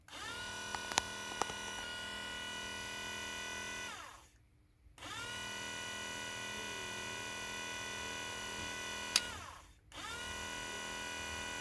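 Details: Ford Transit MK6 Durashift ASM hydraulic power unit pump, removed and bench-run on a battery, van at 66k with flashing gearbox light and trouble selecting gears; smooth steady motor whine in two runs, clean spin-down, no grinding; pump sounds healthy.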